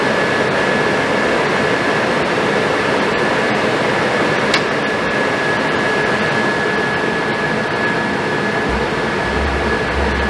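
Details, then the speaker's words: Suburban RV furnace after fan cleaning and replacement of fan motor and control board: steady, even rush of air and burner with constant fan tone, no rubbing, ticking or surging; running normally. "she's sitting there on the truck burning and smells good sounds good and is good"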